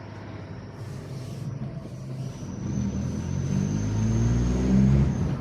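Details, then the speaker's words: VW Polo with newly fitted exhaust whistle and air filter: deep exhaust rumble under throttle topped by a thin, steady high-pitched squeal from the whistle. "I like the deepness. I don't like the little high-pitched squeal that happens every time."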